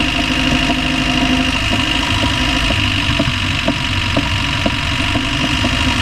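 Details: Land Rover Discovery 1 300Tdi diesel at steady idle with sharp, evenly spaced knocks about twice a second; clear engine knock of unknown cause, owner asks what it is.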